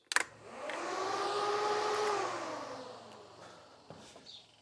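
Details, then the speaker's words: Westfield with carburetors, after carburetor work, ignition on: soft electric whir of the fuel lift pump for about two seconds, easing off as the carburetors fill; normal priming. "On entend les carbus qui se remplissent. Ok. Les carbus sont pleins."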